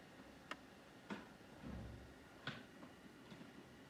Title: Xbox Series X strange noise